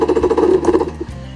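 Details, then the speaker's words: 1995 Yamaha WaveRaider 760 two-stroke jet ski, cranked on starter with no choke or throttle: quick evenly spaced pulses about ten a second with no weak beat; compression sounds even across cylinders, not gauge-checked. "now what I'm hearing right there is I'm hearing a a even cylinder compression now again I don't have my compression gauge with me so I can't get an exact compression reading but I hear that it's it's it's consistent"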